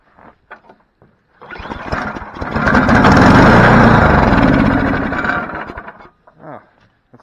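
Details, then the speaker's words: Snowblower small engine, fuel in tank but not reaching motor, given a direct shot of starter fluid: catches, runs rough about four seconds, then fades and dies. Runs only on starter fluid; likely clogged carburetor, junk suspected blocking fuel. "it runs not a bad motor so time to test the other stuff out see if we can get some regular fuel to just go right into it by itself gotta be could be all that junk inside there not allowing fuel up into the motor"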